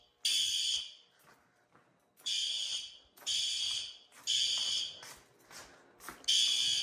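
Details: Fire alarm horn on a demo-board panel with a weak, worn power supply, under system test: shrill horn blasts of half a second to a second, repeating at uneven gaps.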